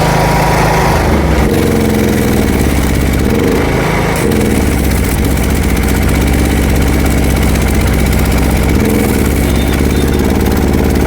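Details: New 6 kVA Super Steel petrol welding generator putting out 230 V: loud, steady single-cylinder drone at constant speed with no misses or hunting, normal running.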